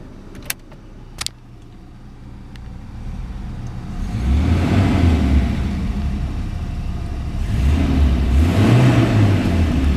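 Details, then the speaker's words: 1992 Volvo 240DL: petrol engine idles smoothly, then rises cleanly through two even revs and settles back with no knocks or misses; normal revving, runs perfect. "as you can hear, it runs perfect."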